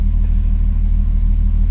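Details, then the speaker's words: MK2 Jetta coupe with 3.2 VR6 swap, slightly warmed up, hood up, revved: strong deep engine note with loud intake roar, steady and even with no knocks or misses; healthy, very loud engine. "My god, that thing sounds amazing. Sounds like it's uh pulling in a lot of air. It's super loud."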